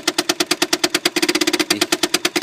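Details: 1983 BMW 633csi (E24), engine off with ignition on: fast, sharp clicking about ten per second from a box under the hood that moves the throttle cable, stops when the brake is tapped; source unclear; rapid clicking with ignition on.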